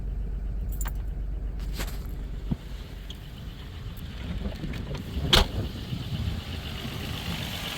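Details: 1997 Dodge Caravan LE, first start after replacing the rod and main bearings, once oil pressure has built: low, steady idle rumble with no bottom-end knock, just a few light valvetrain clicks on top. Normal idle.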